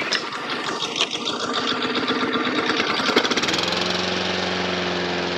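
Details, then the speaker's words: Honda lawnmower on choke, fuel on: pull-start rattle then catches into a steady, even buzz, running cleanly; idle a bit slow, slow-speed setting spot on, fast needs a notch more; normal running. "puff up here that sounds lovely that engine could do a bit of speeding up though it's a bit slow"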